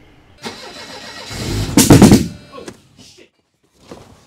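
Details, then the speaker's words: 1985 Mercedes 190E with rebuilt KE-Jetronic fuel system and tampered air-flow sensor: starter groans, then a harsh loud surge for about half a second before cutting out; abnormal crank like the one before a previous engine fire. "all right that's not what we want to hear that is not something that we want to hear because that's how the fire started last time"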